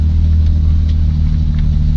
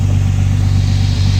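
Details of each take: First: BMW E30 with its ECU refitted, idling with a faulty sensor. There is a heavy, low, lumpy, uneven rumble, juddering badly, and the rough running continued until the sensor was replaced. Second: BMW E30 idling, its earlier heavy juddering cured. There is a steady, even, low rumble with no misses, knocks or hunting. It is idling smoothly and sounding healthy.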